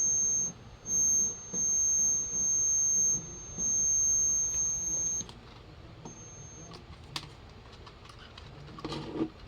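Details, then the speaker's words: Late-1970s/early-80s solid-state AM transistor radio with no AM reception, test signal injected at the volume potentiometer: clean high steady tone bursts about one per second through the speaker, then stop; audio amplifier stage working normally. "There. It has sound. It means it is working."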